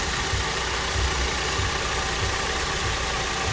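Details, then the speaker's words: Kia Optima with AC blowing warm air, engine idling: a dull, steady drone appears once the AC engages, pointing toward the compressor. System is losing pressure; mechanic suspects the compressor's solenoid control valve, unconfirmed. "And if you listen closely, there was a droning noise, and it just went back for this thing."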